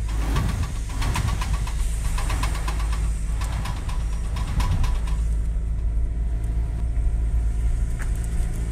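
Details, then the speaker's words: Worn CV joint: rapid rhythmic scraping clicks over a low vehicle rumble when steering right or left, quiet when accelerating straight. "cuando mueves a la derecha o izquierda comienza el ruido un ruido Como si algo raspara con el giro y la inclinación"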